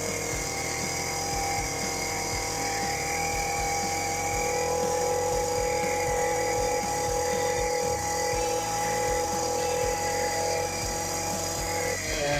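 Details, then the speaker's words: STIHL FC 56C edger that would not reach full throttle, after cleaning the clogged air filter and checking the spark arrestor: the two-stroke holds a steady high buzz with an even whine, no surging or bogging, running clean. "That sounded pretty good."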